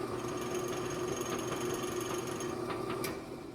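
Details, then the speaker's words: Old Rockwell Delta drill press running with severe chuck runout; steady motor hum with a loose, uneven ticking rattle as the friction-fit chuck wobbles on its shaft, before repair; drill chuck runout rattle. "so the run out on this thing is like so bad uh check this out like you're not gonna see it very well just like on its own in a bit"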